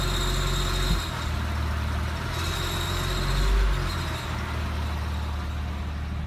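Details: 2007 997 C4S at idle: thin, steady, high-pitched whistles sit above the low exhaust burble; a whining or squeaky noise of unknown source.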